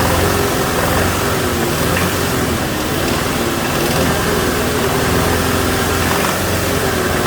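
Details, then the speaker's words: 2007 Toyota Tacoma 2.7 four-cylinder, throttle held at higher rpm during a fuel-cut cylinder test: a hard knock follows engine speed, doubling when cylinder 1 is cut; teardown found a spun connecting rod bearing. "now it's got a double knock when i kill number one cylinder but it definitely seems to be related to number one"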